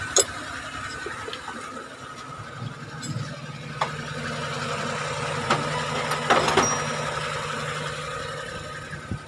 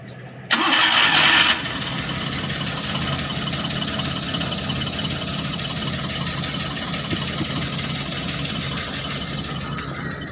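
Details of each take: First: Suzuki F6A three-cylinder after fixing a misfire with new spark plugs and HT wires and adjusting valve clearance: even, steady idle with a smooth low hum and no misfire stumble, apart from a few handling clicks. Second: Suzuki f6a misfire replace sparkplug high tension wire and adjust valve clearance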